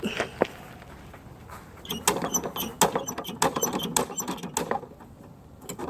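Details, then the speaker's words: Toro gas lawn mower that stalled after starting, carburetor just cleaned: several rattling pull-cord strokes with no firing because the spark plug was not refitted. It cranks with no spark and no start; it ran once the plug was reinstalled. "I didn't own my haste to start this again I never put the spark plug back on so yeah that's probably a mistake you don't want to make no spark means not gonna run"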